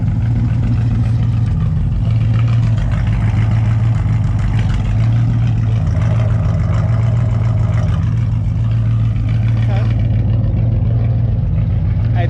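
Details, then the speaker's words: Car idling after new spark plugs and fuel filter check for sudden hesitation; deep steady idle with even low rumble, no ticking, popping or misfire; normal idle. "now the first little startup we just want to make sure everything is copacetic"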